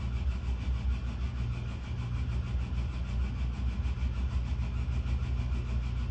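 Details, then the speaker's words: In-pipe heat exhaust duct fan with rough, uneven low rumble, bearings getting worse and nearing lock-up; owner suspects bad bearings. "fan sound like it has problems has bearing issues getting worse and worse"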